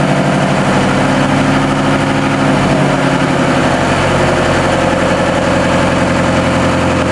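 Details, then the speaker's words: New TDME-490 58 hp marine diesel, under one hour of run-in, at 1000 rpm, heard 3 m from the boat, bridge door open, engine hatches closed: steady, deep drone with even beat, no knocks or rattles; healthy. "Новый двигатель, обкатка меньше часа, обороты 1000. Вот такой шум при 1000 оборотах в 3 метрах от судна при открытой двери на мостик и закрытых паёлах моторного отсека."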